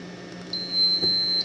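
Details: Inform brand UPS after repair of error 01/no-output fault: one steady high beep about a second over quiet room hum; working normally, output restored around 230-238 V.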